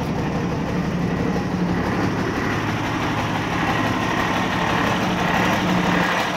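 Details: 1989 Ford Cargo diesel truck, first start after sitting one month, fired right up while checking battery; steady, slightly rough diesel clatter at even idle, no misses or knocks; idling normally.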